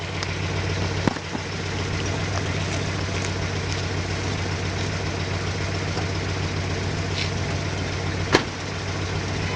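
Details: Loud, raspy exhaust drone, louder on one side, from an exhaust leak after the driver's-side Y-pipe hit a curb while reversing.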